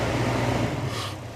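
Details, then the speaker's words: 1998 Buick Park Avenue, idling: loud droning whir with a low hum from the heater blower fan, fading as it's switched off; blower works but is noisy. "shut that off noisy bugger"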